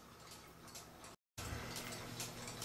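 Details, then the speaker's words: Cuckoo clock, dark-colored case, movement reassembled during repair: soft, even ticks about two per second in a quiet room, cuckoo working. Normal ticking; the music box still hangs up when triggered. "so there's the clock the dark colored one not the colored one and it's ticking just fine the cuckoo works just fine"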